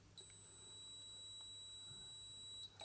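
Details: Philips Model 148 tube radio restoration with new tubes but radio deaf: continuity tester holds a steady high beep for over two seconds on a circuit shorted to ground, traced toward the trimmer capacitor, not the small capacitor.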